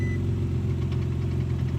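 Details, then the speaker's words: 15-year-old Infiniti G35 driving: smooth, steady engine with a faint light clicking riding over it, no change in speed; owner says it's not the engine, source not yet pinned down. "y'all hear that clicking I'm gonna pop the hood so y'all can hear it even more or get a better hearing on it"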